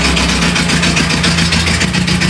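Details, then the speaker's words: Renault Trafic van restarted after 23 years unused, running with a homemade exhaust reusing the original pipe: loud, uneven low pulsing at idle with a raspy edge, spitting black smoke, manifold steaming off moisture. "Oh, ça crache noir là. Ouais, il fait quand même pas mal de bruit hein."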